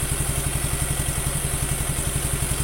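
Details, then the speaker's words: Suzuki Nex II scooter after fitting a Koyo Japan camshaft bearing in place of the left one that caused a rough noise: steady, even idle with no knocks or rattles; smooth, healthy normal idle. "koyo Japan lah bukan koyo Taiwan tapi koyo Japan dan Ini hasilnya bagus halus"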